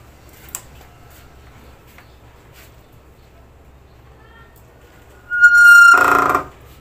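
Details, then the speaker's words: Scooter (Honda Click/PCX/ADV or Yamaha Aerox/NMAX type): sharp, high whistle for about a second on brake application, ending in a scrape, with weak braking. Long-uncleaned, dirty brakes are suspected. Brake squeal. "bale yun mga kaibigan napakinggan niyo ah maingay yung ating preno kapag nagpe-pray y"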